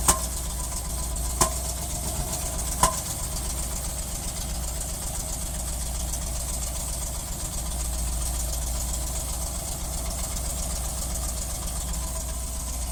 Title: 350 misfiring